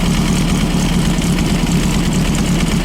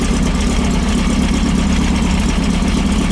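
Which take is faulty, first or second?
first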